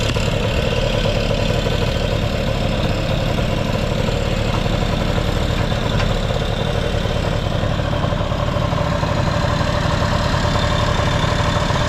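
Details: Vintage Honda Lead 90 scooter (HF05-1025) running check: smooth even putter about four beats a second, no ticks or rattles; quiet engine, normal idle.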